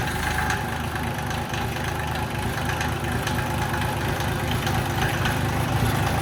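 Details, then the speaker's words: Rebuilt Mitsubishi L3E 3-cylinder diesel (about 20 hp) driving a hydraulic pump through a Lovejoy coupling on a log splitter: steady, even idle with a low pump-load drone, holding speed without hunting or misses; one cylinder still slightly scored. "that's on idle, and that's like the speed of my old splitter. That's good."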